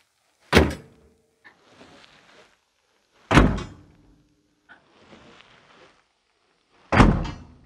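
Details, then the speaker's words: Opel Astra hood closing: each close gives a sharp slam then a short loose metallic rattle as the hood prop rod, not held in its clip, moves; it should normally make no such noise. "bakın parça hareket edecek kaputu kapatma esnasında parça hareket edip anormal bir ses çıkartacaktır"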